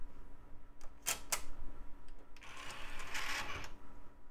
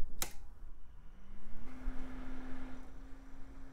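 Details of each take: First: Micron 2000s desktop CD burner drive: a couple of sharp clicks, then a brief hissing whirr as the disc reluctantly tries to spin up; rough spin-up, though the drive later reads a CD-R. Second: Cooling fan from a 2000s Micron desktop PC, dusty and cheap-looking, tested before cleaning; a click, then a clean hum rises and settles into a steady tone with no rattle or grind; fan is healthy.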